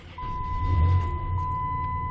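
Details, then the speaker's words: After fuel pump replacement, with the pump primed by cycling the key, the engine starts right up and settles into a smooth, even low idle with a steady chime; the repair succeeded, normal start. "And see, there she goes. She started right up. So, yeah, so the repair was a success."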